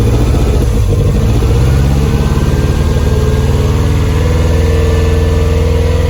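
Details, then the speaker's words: Toyota MR2 after new coil, fuel pump, leads and rewiring, warming up: uneven, stumbling exhaust beat as one cylinder drops out; steady misfire traced to fouled spark plugs, needs new plugs. "so we worked out what the problem was it needs plugs"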